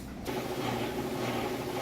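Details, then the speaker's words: Maytag Bravos super-capacity top-load washer with towels and jeans, spinning water out at high speed while the drain pump runs; smooth steady whirring with a pump hum underneath, no thumping or rattling, normal spin while draining. "what it's doing right now is spinning all the water out of the clothes while running the drain at the same time, so that's what that noise is."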